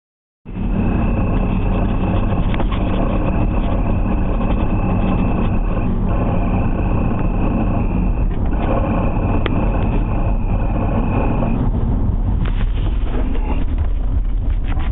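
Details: Chirping noise while driving in a 1990 BMW E34 M5: a high, thin chirp rides over heavy road and engine rumble, dropping out and returning; owner suspects a bearing, unconfirmed.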